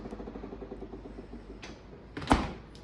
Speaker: that sound is so annoying I don't know why it's doing that but yeah that yeah it's probably time that I get a new fridge